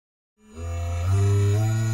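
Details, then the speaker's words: DC motor driven by a Cytron MD13S motor controller from an Arduino: the motor hum comes in and climbs gently as the speed rises, steady and even with no rattle; a normal, well-controlled spin-up. "hear the speed going up."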